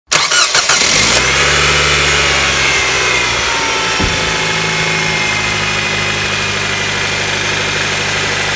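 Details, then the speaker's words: Nissan Qashqai at start-up, before belt replacement: engine cranks and catches, then a high, thin squeal rides over the idle and fades slowly; auxiliary belt squeal. "What's worse than a squeaky auxiliary belt? That's right, an even squeakier auxiliary belt when you put your AC on or you accelerate."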